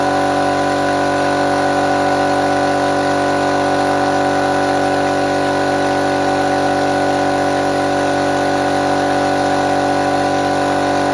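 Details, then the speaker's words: Restored small compressor fired up for the first time after refurbishment, checking whether it works: steady even motor hum with constant pitch and no knocks or rattles; running smoothly, normal running. "okay well I think we may have the success here"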